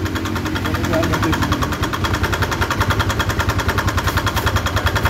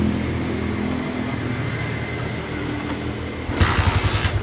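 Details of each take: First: Motorcycle engine at idle with a rough, hard, even ticking knock from the cylinder head, about three or four a second; oil spurts at the cam chain tensioner area when revved. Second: Motorcycle after repair of rough clattering noise from the cylinder head: steady even running then throttle blip, firm regular pulsing, no top-end clatter; rough noise drastically reduced.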